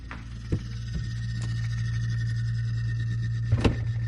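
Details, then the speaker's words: Samsung RS263TDRS refrigerator: steady low evaporator fan hum broken by scattered sharp clicks as the fan blades strike built-up ice, stopping cool air from circulating. The fan keeps freezing up repeatedly. "that clicking sound, it means that the ice has built up big enough so that it's starting to hinder the fan from cooling or dispersing the cool air."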